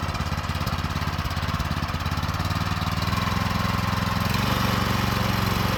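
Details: Used go-kart with a small single-cylinder engine that has compression, possibly run without oil (owner feared a bottom-end bearing), with likely fuel in the oil: regular putter that picks up slightly, no knocking; sounds healthy.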